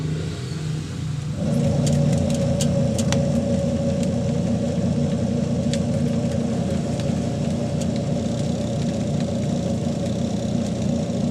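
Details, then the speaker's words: Panasonic 5.2 kg single-tub washing machine after fitting a new plug: after a brief pause the motor spins up into a steady, even hum with a low churning rumble; wash motor runs normally. "so testing natin guys gumana pa siya"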